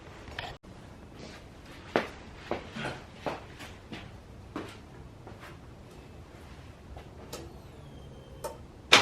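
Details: SN95 Mustang with aftermarket bigger fuel rails and injectors, first start in months, heavy smoke, plugs soaked in gas: weak, irregular pops and sputters with no steady idle. Owner suspects wrong fuel pressure flooding the engine.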